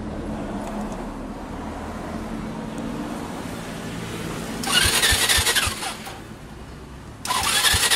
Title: Honda Fusion MF02-15 no start